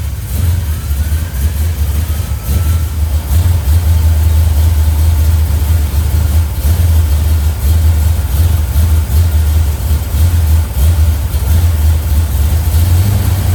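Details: 1971 Plymouth Road Runner 440 V8, on jack stands, after timing chain/front cover and ignition work: fires and settles to steady even cold idle, deep rumble, no knocking or missing; runs healthy.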